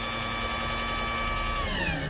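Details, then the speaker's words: 1961-1965 Lincoln Continental convertible hydraulic pump bleeding: steady high electric whine sags lower as the rams fully extend, then cuts off; this pitch change marks where to stop, normal. "right there, that's where you want to stop. You'll hear the pitch change."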